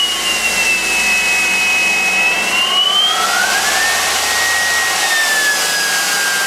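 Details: IMC Magnetics 400 Hz vaneaxial aircraft fan driven from a drill-powered generator: high-pitched rushing whine, pitch wandering with drive speed, smooth with no rubbing or rattle; normal running.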